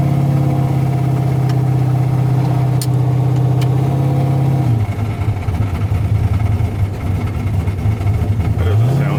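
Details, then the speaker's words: ShopTruck with Forced Inductions NT98 turbo: steady low fan motor drone that drops away and spins back up with no rush of air, fan likely loose on its shaft; engine temp reached 200°F when it normally runs 180. "Well, that's no good. What you hear there is the fan motor. What you don't hear is the fan moving air."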